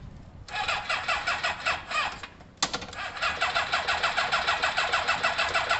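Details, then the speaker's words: Kawasaki ZL600 motorcycle with new coils, tuned carbs and valves done, plug leads being tried as one-three and two-four: steady starter cranking at about three even compression beats a second, never catching; no start from leads in the wrong firing order. "oh firing order firing order right what's going on let's try one and three one and three one and three two and four let's see if we went completely the wrong way this will be interesting"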